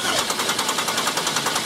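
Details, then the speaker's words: 1995 Buick Riviera GM 3800 with a no-crank complaint, starter energized directly with a power probe and key off: even cranking, about four compression pulses a second. The starter works, confirming a faulty park/neutral switch. "So confirmed. We didn't need that last test to confirm it, but this is confirmed park neutral switch problem."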